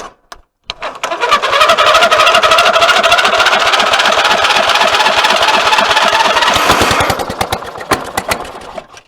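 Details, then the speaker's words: Old lawn tractor that hadn't run in about a year, no battery, cranked from a jump pack: fast cranking chatter with a harsh metallic grind riding on it, the engine almost catches then fades; the starter gear is getting chewed up. "UH THAT THING IS JUST GETTING chewed to death."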